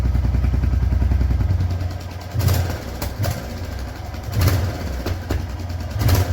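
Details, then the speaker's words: Royal Enfield Hunter 350 single after off-roading: light, fast ticking over the thump at idle and blips, louder at high speed, first suspected a loose silencer nut but the showroom says it's tappet noise from inside the engine; told to fix after third service. "यह टपट noise है टपट से आ रहा है engine के अंदर से ही आ रहा है"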